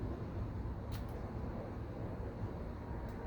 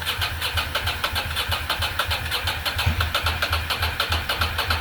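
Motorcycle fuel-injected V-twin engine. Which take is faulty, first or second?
second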